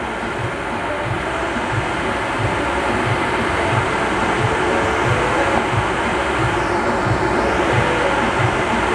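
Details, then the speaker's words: MasterTemp pool heater after fix for firing 5–10 seconds then shutting off: water-compromised sensor switch taken out of circuit; steady even burner roar holds with no cut-out or flutter, consistent gas pressure, normal operation. "you can now hear that the heater comes on it stays on we have a good consistent gas pressure so everything is looking excellent and problem resolved"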